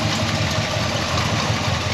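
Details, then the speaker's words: Frame-off restored 1971 Chevrolet C10, 350 cubic inch small-block V8, TH350 automatic, dual exhaust: fires right off to an even, steady low burble with a regular firing pulse and no ticks, knocks or funny noises; healthy idle. "That 350 fires right off, nice and tight. No funny noises."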